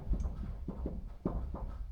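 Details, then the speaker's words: 2011 Ram 3500 (Cummins), wheel rocked at 3 and 9 o'clock during front ball joint replacement: dull uneven low clunks each rock, looseness in steering; suspected inner/outer tie rods or pitman arm, not confirmed. "There's something loose. So tie rod. Normally 3 to 9. When you shake it, you are shaking your tie rods, your steering components, I would say."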